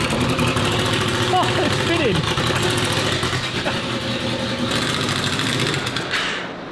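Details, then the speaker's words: Honda VFR800 782cc V4 VTEC, first start after fitting a universal Temu turbo with modified gravity-fed oil drain: uneven, hunting idle that won't settle; running rough, said to be not getting enough (likely air). ">> This is not running right cuz it's not getting"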